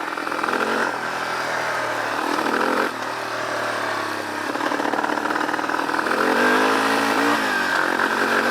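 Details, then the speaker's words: Yamaha Warrior 350 ATV: single-cylinder revs climb then stutter and fall back repeatedly, never pulling higher; the parking brake sensor safety rev limiter holds it at low rpm, a clutch switch may also trigger it. "When the parking brake is on, it limits the revs, so it won't go fast. And I have a couple videos of what this sounds like because of me trying to ride it."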